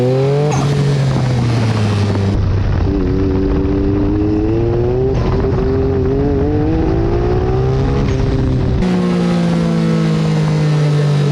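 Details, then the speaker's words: Car with factory Mitsubishi Mirage coil-on-plug coils, on street tires and geared low, makes no boost and won't rev: the engine pulls, then stumbles and breaks up at the same point each time, sounding like a twin. The owner suspects blown factory coils; misfire under load. "you can hear in that footage when it does hit that point where it starts to break up it sounds to me like a twin for that reason alone I am inclined to believe that I may have blown up the factory coils in this thing"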